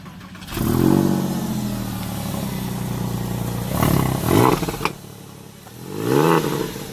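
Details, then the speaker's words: 2000 Porsche 996 911 Carrera C4, 61,000 miles, manual, new IMS bearing, coils, plugs and starter, Fisker Porsche Sport exhaust mod, not cold: fires quickly, settles to an even idle, two sharp blips with light exhaust crackle; healthy. "So I'm gonna go ahead and crank the car up, let you guys hear it. It actually has a Porsche Sport exhaust mod, which is the Fisker mod. It looks very nice. It sounds very good."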